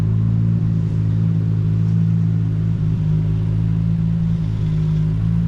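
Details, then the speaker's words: Nissan R33 Skyline GTR, RB26 twin-turbo six, back on the road; deep, even rumble with gentle rev rises, no knocks, ticks or misses, healthy engine; power steering has a little air in the system. "But as for right now, it does look good, it sounds good."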